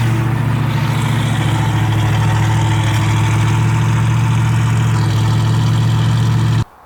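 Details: Ford Mustang after cooling/overheating repair with new condenser fitted, running; even low rumble at idle with steady beat and no misses, knocks or ticks; idling normally.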